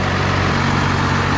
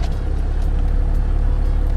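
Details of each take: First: 12-valve Cummins diesel truck after raising idle, cool fall weather: deep even rumble idling about 980 rpm, just under the 1000 rpm wanted for cold days; normal idle. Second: 12-valve Cummins diesel truck after sitting two or three days: slow, heavy, lumpy idle around 500 rpm, almost stalling; idle speed set too low.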